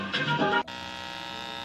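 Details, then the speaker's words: Steady, raspy electrical buzz from an Insignia sound bar fed by a SXM radio over a 3.5 mm cable through splitters; the buzz is worse with all the splits. Fewer connections helps, one device at a time removes it; a Bluetooth 3.5 connect fixed it. "but it's not so bad but with all the splits it really sounds bad so you know the less place you got the better off you are"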